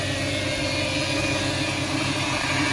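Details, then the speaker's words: 2000 Toyota Tundra SR5 4.7L V8, after sitting a few days: steady idle with a thin, constant high whine over it from a bad power steering pump, located left of the radiator under the intake. "all right guys so as you can hear the sound it is a bad particular pump"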